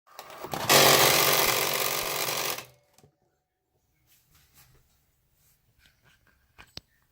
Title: Cricut Explore 2 grinding sound